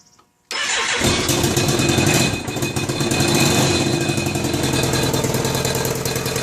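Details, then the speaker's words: 1999 BMW K1200RS engine starting and idling with a fast, uneven putter and sharp pops from the left front after a long ride: the #4 exhaust tube loose and rattling against the manifold port, leaking; fixed with new studs. "but when i got home it was quite evident that we're getting a uh some kind of a popping noise or a puttering noise coming out of the left front of the engine so either i blew a spark plug which i which i kind of doubt or something has either cracked or worked its way loose on the exhaust uh exhaust manifold probably"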